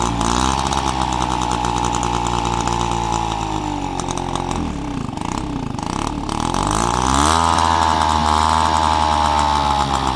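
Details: Peugeot 103 RCX moped two-stroke, first start after full engine rebuild and carb cleaning: crisp buzz dips as throttle closes, then picks back up and holds steady and even; running healthy.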